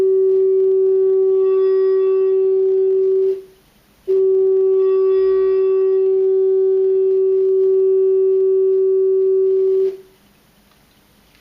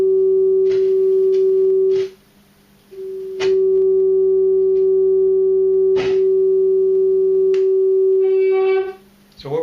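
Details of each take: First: Keyboard amplifier after cleaning its dirty, scratchy potentiometers: a steady, clean mid-pitched test tone with no crackle or dropouts, confirming a successful repair. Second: Keyboard amplifier with a test tone fed into the input at low level: the steady tone drops out completely for about a second as the potentiometer is turned, then returns. A dirty, scratchy pot is losing contact.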